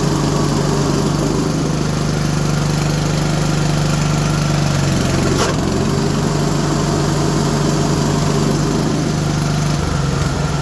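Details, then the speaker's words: Engine in a 3416 mower after deck, PTO and drive belt work, belt tension set: even, steady low drone that never reaches working speed; governor set too low, to be turned up. "Okay, we're making some progress. Let's get that governor turned up quick."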